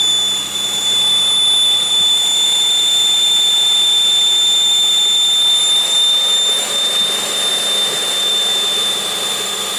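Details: 2001 Pontiac Aztek GT after reassembly, engine running with a constant thin high-pitched scream well above motor noise, unchanging; source unknown.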